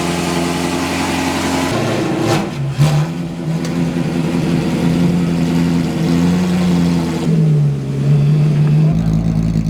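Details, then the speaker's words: Mid-engine Ford F100 race truck build with a manual gearbox, on its first drive: the engine note rises and falls unevenly at low speed. The motor keeps surging, so it either wants to stall or slip the clutch. "now oh if it sounds like like I'm [ __ ] don't know how to drive stick it's because that's the way the motor runs so it just keeps [ __ ] surging on you so it either wants to stall or slip the clutch"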